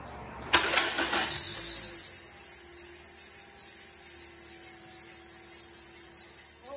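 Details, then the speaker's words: 2010 Toyota Corolla 1.8 L, cold start in the morning: loud steady high screech over idle with a growl underneath from the serpentine belt area. Idler bearings were suspected; the diagnosis was a worn water pump and belt, both replaced. "boy what the heck is that wow that was loud we got something really going on here something's getting ready to break in half sounds like we're gonna have to take off the serpentine belt and wiggle some pulleys and see what's going on"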